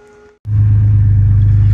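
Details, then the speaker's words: Jeep WJ Grand Cherokee, started after jump start and battery charging, front driveshaft removed: engine catches into a heavy low rumble that wavers unevenly and won't hold idle; rough idle, cause not yet found. "so it's on it's not wanting to idle at all"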